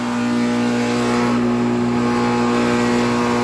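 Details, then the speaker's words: Second unit of a 2008 NuTone dual-zone central air conditioner, R-22, running: unbelievably loud steady hum with strong fixed tones and a rough buzzing undertone, vibrating the ground; loud condenser vibration. "it's unbelievably loud that unit is unbelievably loud Wow it's also vibrating the whole entire ground I'm not even joking"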